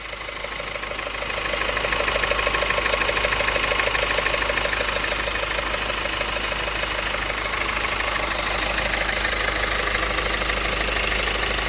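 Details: Opel 1.6 CDTI 136 HP diesel (Astra J/Insignia) at 67,000 km, steady rattling ticks about three per second at idle over the diesel hum. Found to be a damaged crank sprocket, heard from between engine and gearbox.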